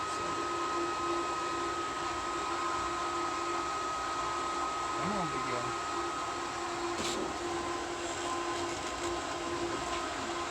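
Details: Variable-speed pool pump priming: on start it likely runs at its highest rpm, then slows once it finds water (previously it had to be cranked up manually). Steady high-speed motor hum, constant whine and rushing water, no rattle or grind; normal priming.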